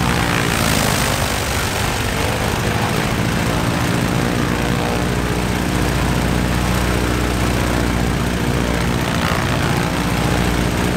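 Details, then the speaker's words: Stinson L-1 radial engine after dead left side of duplex magneto replaced with overhauled mag: loud, steady, even drone with no misses or stumbles, running smoothly; some oil smoke from exhaust noted, attributed to oil lying in engine. "[Applause] that's finally good news started right up good next master fuel"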